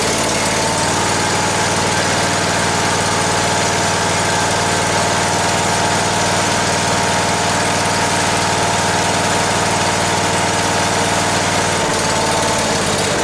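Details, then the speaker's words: Ford garden tractor, sat long as a no-run, run with throttle raised after it seemed not to draw fuel through the main jet: holds a fairly steady idle, then stumbles and dies; won't keep running, owner suspects fuel starvation. "let's do another shot H try firing it again think it might be starving for fuel"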